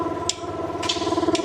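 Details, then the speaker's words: Graco LineLazer V 200HS with RPM raised after choke, prime valve opened to engage the piston pump: steady engine drone with a sharp hissing stroke about every half second as paint primes; normal pump stroking. "you'll hear that start stroking straight away and now we know that paint should be priming through the unit and cycling from the suction tube into the pump through the manifold and then out the drain tube"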